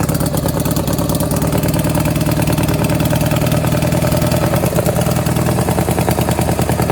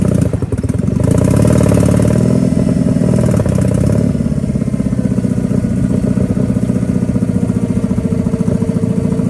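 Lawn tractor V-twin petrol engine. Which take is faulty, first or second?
first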